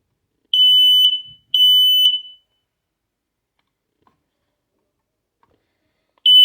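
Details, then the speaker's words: Kidde smoke/carbon monoxide alarm, test button pressed and held: loud, piercing high-pitched beeps under a second each in a repeating pattern; the test sounder works normally. "Press and hold to test and test weekly, and I think this is what mine sounds like."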